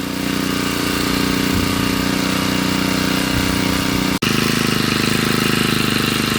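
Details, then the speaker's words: Honda GX35 grass trimmer after replacing a cracked oil line and cleaning the carburetor, started on choke to be left running about 20 minutes to check for oil leaks when hot: steady, even buzzing idle with no misses. Normal idle. "แล้วก็จะติดเครื่องไว้สักพักนะครับเพื่อรอดู้ว่าเวลาเครื่องร้อนนะครับน้ำมันเครื่องมันจะมีรั่วซึมตรงไหนบ้างนะครับ"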